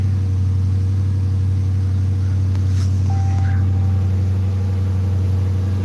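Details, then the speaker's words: Dodge Magnum V8 started after its battery had been on the charger for a week; it starts right up into a deep, even low rumble with a steady beat and no misses, knocks or rattles; a normal, healthy idle. "Oh, everybody wants to hear the Magnum start. Starts right up."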